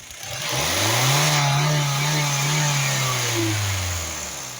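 Engine swells up and back down with a loud hissy roar riding over the note; something sounds off, but the cause isn't clear.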